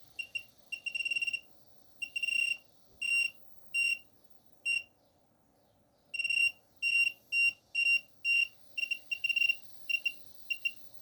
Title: Wanptek APS1203H strange noise (boiling)